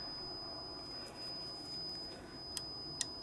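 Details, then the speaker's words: Pioneer CT-F950 cassette deck with unreliable button commands: the continuity buzzer on the cassette-insert arm micro switch keeps sounding after the tape is removed, so the switch is not opening; a tap makes it contact, meaning the arm is not sensed properly. "see it's still there still buzzing it's not uh switching if we just give it a a little tap you can hear it making contact"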